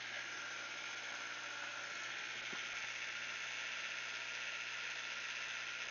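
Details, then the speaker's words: Aquarium fishroom pump runs with a steady, loud buzzing whir. It is vibrating where it hits the bottom of the tank and is louder than the owner remembers; the owner suggests hanging it. Loud pump vibration noise. "It's like when it hits the bottom, I guess it's vibrating. Just have to hang it. Or deal with the noise, I guess. Whatever. It's kind of loud."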